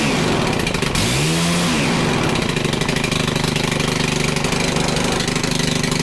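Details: Stihl FC110 after finding little to no compression, valves adjusted and brake cleaner in cylinder, held at full throttle: catches with a brief rising rev, then steady buzzing full-throttle run without stumbling; compression restored, piston not scored.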